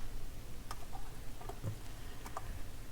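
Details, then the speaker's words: Dual 1019 turntable that would not shut off, a few soft spaced mechanical ticks over low hum as the tonearm return cycles on second try; normal auto-return. "there it goes that time all right sometimes you have to cycle these or you have to reset the the mechanism"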